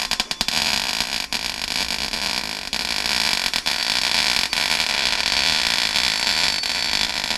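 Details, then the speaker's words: MIG welding Rover P6 inner wing repair after adjusting wire speed and turning voltage down following a blown hole in new metal: steady even sizzle like frying bacon, no popping; arc settled, nearly good weld. "That almost looks like a good weld."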